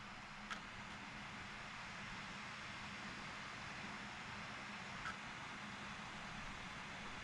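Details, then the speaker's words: Used modded Nintendo Wii loading a Super Smash Bros. disc: loud, steady whirring rush with low hum as the drive spins up the disc; sounds bad, with a mechanical malfunction in the disc drive suspected. "Oh, that sounds so bad. Okay, I do hear it making noise on the inside. Sounds like it is spinning up the disc."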